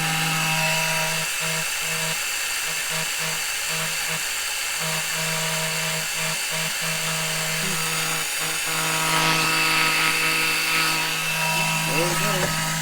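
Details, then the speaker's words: Small electric extractor pump sucking engine oil out through the dipstick tube for an oil change on a 2007 Monterey 214FS with a MerCruiser 5.0 MPI. It gives a loud, steady buzzing drone at an even pitch, gets a little hot and is slow; normal running. "it is pretty loud let me turn this thing off it is pretty loud it does get a little hot"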